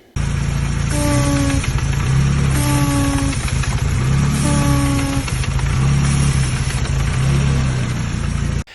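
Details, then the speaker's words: Classic Mini with the engine running gives a loud, low horn-like honk each time the brake pedal is pressed, and its brakes don't work; the brake booster is suspected, unconfirmed. "as you just saw then it is making some sort of honking sound whenever you put your foot on the brake so we need to try and work out what it is and what's actually happening to the vehicle"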